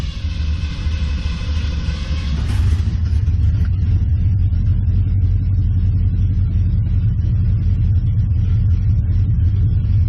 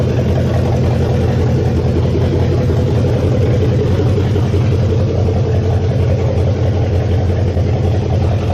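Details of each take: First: 1969 Mustang V8 after cooling system refill and warm-up, ran decently then began running badly: deep rumble losing rhythm after a brief rev, lumpy at low speed; rough running, owner suspects timing. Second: 1969 Mustang V8, first start after engine work with electric choke not yet hooked up: steady deep burble at idle, even firing, no smoke, plenty of compression, oil burning off the top of the motor. Normal idle.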